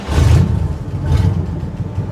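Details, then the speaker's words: 1960 Chevrolet Impala small-block V8, off the road for over 30 years, cold start after sitting two days, pedal pumped a few times, exhaust has holes: quick crank, catches at once, settles into a deep, even rumble without vibration. Normal cold start. "perfect I love small blocks to be just doing that I'm impressed I mean you got to be impressed by that listen to how it runs too she was sputtering in the beginning but listen to it now not a vibration one"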